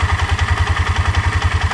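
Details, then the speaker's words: Four-wheeler idling with steady, even thumping about ten beats a second; rated 1100 rpm but sounds slower to the owner, who suspects a broken part; shifting is fine and hour meter and odometer still work; low idle speed. "there doesn't sound like it's idling that fast to me but it said they're idling at 1100 rpm sounds like it's slower than that"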